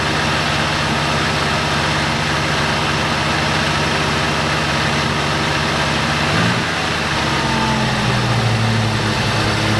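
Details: 1987 Oldsmobile Cutlass G-body, carbureted, sat about 12 years, running again after removing a stuck check-valve fuel filter that blocked gas to the carburetor. Not yet warmed up, it holds a steady, even idle, then drops smoothly to a lower speed; healthy idle.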